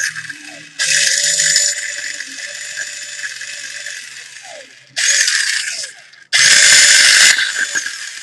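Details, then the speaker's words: Echo1 M14 EBR/RIS airsoft gearbox upgraded with new gears, Echo Max Torque motor and ultra piston, test-run through a trigger switch before greasing: three short, even, high-pitched whirring bursts, clean stops, no grinding or skipping; healthy gearbox cycling. "sounds really good let me go ahead and apply some grease and i think that would be i think that's really good setup right now for the motor and the gear sounds really nice"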